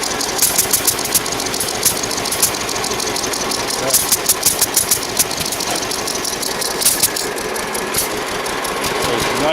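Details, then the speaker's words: 1946 John Deere B long hood, electric start, two-cylinder, only about an hour of running since engine rebuild: slow, strong, even popping at low idle, good compression, healthy. "Nice and poppy. Got some good compression in her. Sorry about the noise."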